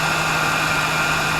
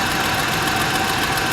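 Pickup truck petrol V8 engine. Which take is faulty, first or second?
second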